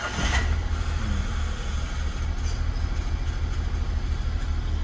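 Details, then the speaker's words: Nissan Mark petrol engine idling rough with an uneven, lumpy low throb; oil warning light on or flickering, oil nearly run out. "ini ada Nissan Mark yang datang ke sini eh suaranya mesin kasar setelah kita cek itu indikator apa namanya indikator lampu olinya nyala nih"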